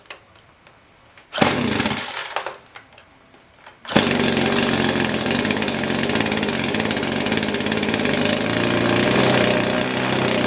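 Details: Poulan Pro PP4218AV 42cc chainsaw, reassembled and primed after repair: a few short false starts, then catches and runs loud and ragged with uneven firing; cold-scored piston.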